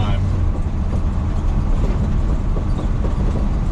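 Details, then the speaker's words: 1990s-era (about 30 years old) K10 truck driving over rough pavement after new shocks: heavy road rumble with loose door knocks, much quieter than before; owner suspects cab mounts and leaf springs also contribute to the noise. "it's a lot quieter than it was in the last video that I had the truck in which you can definitely tell if you go back and look at it you hear that door banging around"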